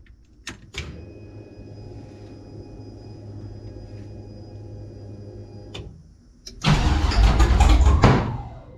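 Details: 1984 G-body Cutlass, procharged LS swap on Holley Terminator X EFI, battery initially low: long steady crank at about three beats a second without catching, then a loud rough burst of pops and sputtering. Cranks but won't start.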